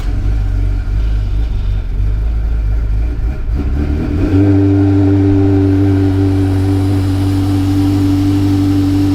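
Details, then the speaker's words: Car after intake manifold removal to fix a leak, likely from a doubled gasket; key cycled to let the fuel pumps prime. Long cranking catches at about four seconds, then a steady even run with a low hum, no miss or hiss; normal running. "No explosions! Yay! Yay, it's fixed! Hooray!"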